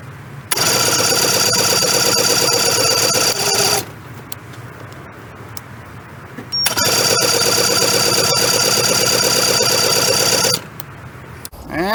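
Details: 1994 Suzuki 115 two-stroke outboard that had been stalling and dying, primed with the primer bulb and fuel tank hooked up: two 3–4 second cranking bursts with an even whirring pull-over and no firing catch; it won't start.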